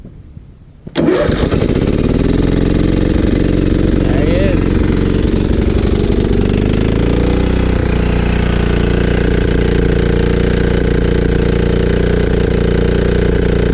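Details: Free riding mower after spark plug sanded and gapped and choke applied: engine catches after a second, settles in a few seconds, then runs with steady, even low thrum; running normally.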